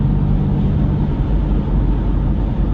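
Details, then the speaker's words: 2007 Nissan Xterra, 218K miles, driving: deep steady rumble under road noise that quiets when turning right and returns when straightening, from a worn front wheel bearing, thought to be the right front, before replacement. "hear how much quieter that just got A lot quieter now when we straighten up you're going to hear that Rumble come back here we go we're going to straighten up and immediately you start hearing that Rumble again"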